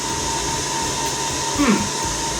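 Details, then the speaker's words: Rack-mount home lab server before soundproof wooden cabinet: constant airy rush with a fixed high-pitched whine; loud cooling fans. "without having to constantly endure the deafening sound of cooling fans."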